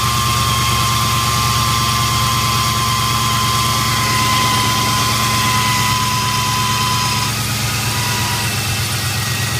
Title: Whine/Hum noise from a '99 LS1 Camaro on cold start (25 degrees F)